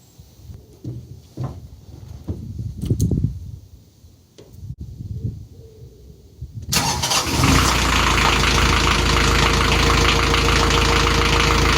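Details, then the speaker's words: Canaline 42 narrowboat diesel after full service (engine oil and filter, gearbox oil, air filter, belts checked, stern gland greased): some clatter and handling, then it fires and settles into a steady, even idle around four beats a second; normal, healthy idle. "Well, if you can hear me over this bin, the engine's fine, everything looks happy, sounds happy, and I think it's time to go in for a well-earned brew."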